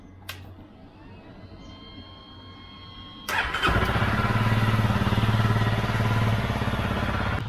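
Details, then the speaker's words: Honda CRF250L single-cylinder starting after fuel pump filter cleaned and spark plug replaced (it ran badly after suspected bad fuel in Angola): catches and settles into even quick thumping idle, no misses; runs cleanly, owner suspects the spark plug was the main cause. "I am very, very pleased with how Honey is running."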